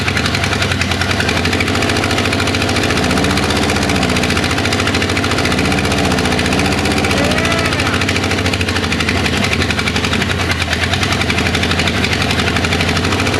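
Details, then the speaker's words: 1961 Ford Unibody truck, 1968 Mustang 302 V8, running for the first time after 29 years and burning off Marvel Mystery Oil with smoke; a lumpy, uneven idle with some knocking, a rough first start. "got it warm enough to burn off all that Marvel Mystery Oil went through I don't know maybe six ounces of fuel and yeah I mean sounds like something's been sitting forever we're gonna call that a win"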